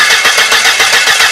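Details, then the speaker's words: Car that cranks but won't start: fast, even cranking about eight beats a second that never fires; no spark at the plugs and no fuel coming out, diagnosed as a failed crankshaft position sensor; the car started after the sensor fix. "كده مفيش كهرباء طالعه ولا في بنزين طالع، يبقى كده على طول العيب حساس كرنك."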